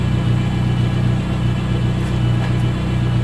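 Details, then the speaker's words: VW Golf 3 petrol engine started after a valve cover gasket and oil change with emulsion present: loud, deep, throbbing idle rumble because the exhaust system is largely missing; owner suspects a hum from the power-steering pump. "Ну а громкий шум — это у меня с выхлопной системой проблемки. Ее, можно сказать, нету."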